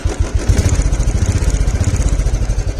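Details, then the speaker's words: Motorcycle just parked: quick, even exhaust pulses with a deep steady thump and no misses or rattles. A healthy, well-set-up bike. "प्यारी एकदम प्यारी आवाज है इसकी प्यारी बाइक हो गई इसके अंदर पूरी अच्छे तरीके से सेट"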